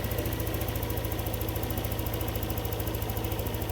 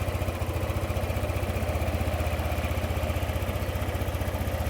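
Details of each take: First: Yamaha NMAX 155 V2 after error codes cleared and reprogramming: steady, even scooter idle around 1615 rpm with a smooth regular beat, no misses or hunting; normal idle. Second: Yamaha NMAX 155 V2 with hard starting and stalling, fitted with a new manual IAC; idle speed keeps drifting up and down instead of holding steady: hunting idle.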